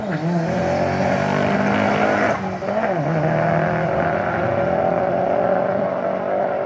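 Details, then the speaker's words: Turbo AWD Eagle Talon on a drag strip pass after boost was raised. Pulls hard at high revs with a rough, stumbling, breaking-up note under boost: misfire from spark blowout, since fuel changes didn't help. Spark plug gaps likely need closing down. "sounds like spark blowout to me yeah it was all spark it doesn't matter cuz I changed a bunch of fuel that should have changed it and it didn't so we spark blowing out"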